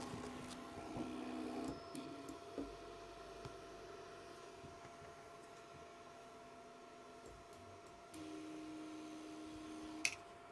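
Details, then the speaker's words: BIQU BQ Hurakan 3D printer on Klipper with TMC interpolation on: faint steady humming tones coming and going with axis moves; Y axis very quiet, X super noisy, owner wonders if a different motor – unusual stepper motor noise. "that the y-axis is really quiet but the x is super noisy um I wonder if it's the same motor or a different motor"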